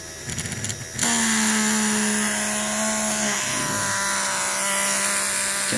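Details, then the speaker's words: Small motor driven by an LM324 op-amp PWM circuit whines up to speed with a rough, hissing rasp over its tone: worn motor bearing. "Cannot see it, but you can hear it. The bearing of this one is not anywhere good."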